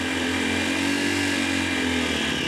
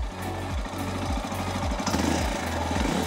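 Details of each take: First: 2022 CSC TT250 carbureted single-cylinder enduro motorcycle, cold engine started on full choke: busy, raspy running held at raised revs by hand throttle while the choke is backed off, pitch wavering slightly; normal cold-start warm-up. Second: 2022 CSC TT250 carbureted single-cylinder enduro: a slow, lumpy idle firms up and speeds up as the carburetor idle speed screw is turned a quarter turn or less, to be done at running temperature; the low idle is raised.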